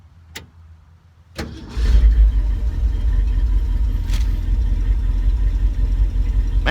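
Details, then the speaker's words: 1974 Ford F-350 crushed by a tree and long unused, restarted warm: brief crank, catches within half a second, steady even V8 idle; accelerator pump leaking gas from sitting; normal cranking and start. "that makes me sick still burning like a kid yeah I need to put an accelerator pump in it now I guess from letting it sit so long"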